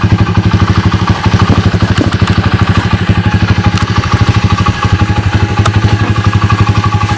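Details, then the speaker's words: SDG pit bike with its original 107cc engine: a quick, even single-cylinder putter at a steady idle, with regular pulses and no knocks or rattles. Running normally. "you guys can see it's dark cheesy as you guys can hear it sounds pretty good right"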